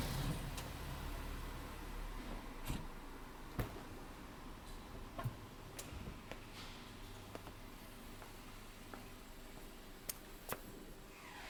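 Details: BMW F10 front end: sharp isolated knocks at uneven intervals over low cabin rumble; occurs only with car hot after short driving, once after changing direction and braking; cause unknown, front suspension clunk.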